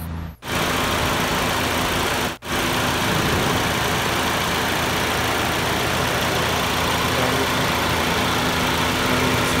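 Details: Toyota Yaris at idle after throttle body cleaning and new spark plugs: a steady, even idle with a constant low hum and no stumbles or misses, running smoothly.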